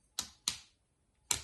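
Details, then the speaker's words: 1995 Lexus SC300 power mirror motor assembly, mirrors had quit working: three sharp dry uneven clicks, quickly dying away, as the threaded shaft slips in the drive gear past a cotter-pin-like metal clip during overhaul. "Threaded shafts slip inside these gears, and that's where you get that noise that we were hearing earlier that sounded so nasty,"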